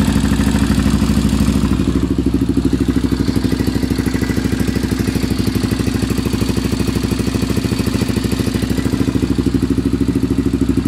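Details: Honda 400EX single-cylinder at idle with light, even ticking, about three per second, clear above the exhaust. The owner thinks the valves badly need adjusting; unconfirmed. Engine ticking.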